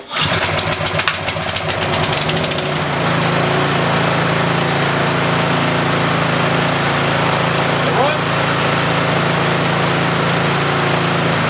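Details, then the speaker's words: Yardman (MTD) snowblower with LCT single-cylinder engine, no-start after sitting years, fixed by dumping carb bowl and flushing gas tank: pull start sputters, catches, then steady even drone at 3400 rpm, muffler smoking, possibly off spilled fuel; normal running. "it runs it's alive 3400 rpm just fine should be okay"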